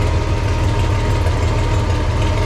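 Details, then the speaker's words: Farmall 460 tractor idling after points gap adjusted slightly closer, believed to advance timing slightly; charging gauge barely moves, generator or voltage regulator suspected; steady even low rumble, no misses or knocks, normal idle. "That really sounds good. We got to figure out something."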